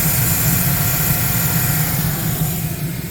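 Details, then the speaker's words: 2008 Chevy Silverado LT with the 5.3 L Vortec, after replacing a water pump whose pulley bearings were shot and caused knocking and rattling: smooth, deep, even idle with no knocking; running normally. "That's it cranked up. No more knocking. Everything's good to go."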